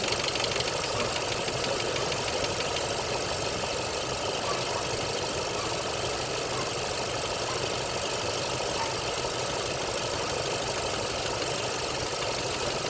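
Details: 2.9 Vortec showing 69,xxx, idling: light fast ticking about three a second running evenly over a busy top end; lifter tick.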